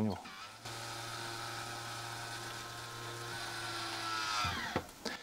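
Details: MaxxFan roof ventilator in a camper, after 2 years of use: steady whirring gear drone for about four seconds as the motorized lid opens or closes, then a clunk; normal but loud lid gearing, audible to neighbours at night.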